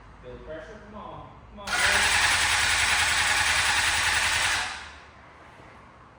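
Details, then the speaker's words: Abandoned Honda CBR600RR sport bike, fresh gas after 12-year-old fuel, new battery: fast even starter whirring with no firing, cranks but won't catch; fuel pump found not working (no fuel delivery). "Cranks. There's something. Jeez. Now what? Okay. Something is wrong."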